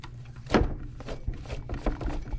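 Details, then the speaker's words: Jeep Wrangler, engine off, AC compressor pulley rocked by hand: dull irregular clunks, about five in two seconds, pulley visibly wiggly; matches the noise heard, worn AC compressor pulley bearing, pulley to be replaced. "That is definitely the noise I am hearing. So our next adventure is we are going to be changing out the air conditioner pulley."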